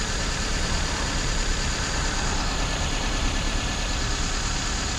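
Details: 1996 Toyota Corolla, 1.8 distributor engine, code P0301, compression good: steady idle with faint, uneven stumble in exhaust beat; light cylinder 1 misfire, checked with Picoscope secondary ignition.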